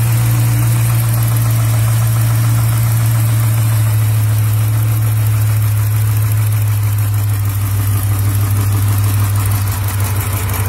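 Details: Hemi V8 with only 37K miles at steady idle, with a faint, fairly regular knock underneath at about three beats a second; Hemi tick and bottom-end knock suspected, cause not confirmed.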